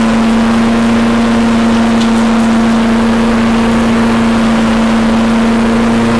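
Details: Toro Recycler mower with no clutch, after carb cleaning, fresh gas and handlebar replacement: smooth constant hum at steady speed, no surging, knocking or misses; running cleanly.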